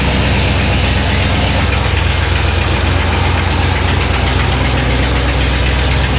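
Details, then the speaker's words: Square-body jump truck V8 just cold-started on a very cold day, choke on and idling down: deep even idle rumble, no knocks or misses; oil pressure great, charging, some transmission fluid leaking; engine healthy. "oil pressure is great we're charging don't know what's going to happen here yet but this is important that's somewhat important and then of course we don't want to overheat the choke came on it idled down a bit"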